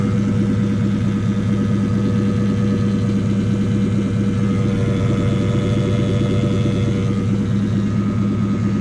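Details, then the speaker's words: Lexus V8 at idle: soft rhythmic pulsing about ninety a minute over the hum, like air pumping through the cooling system; owner suspects air trapped in the cooling system. "Past there's pumping air. Scaring me."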